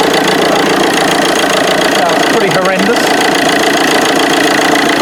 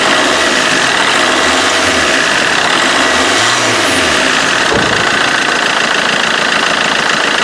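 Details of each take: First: Vauxhall Corsa D 1.3 CDTI diesel idling: harsh, uneven rattle from the auxiliary belt on the left-hand side, with belt and tensioner vibrating badly, caused by a seized alternator overrunning clutch pulley. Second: Vauxhall Corsa D 1.3 CDTI diesel idling after auxiliary belt, tensioner and alternator pulley repair for loud vibration from the left-hand belt side; steady idle, usual light clatter, no belt vibration or flutter.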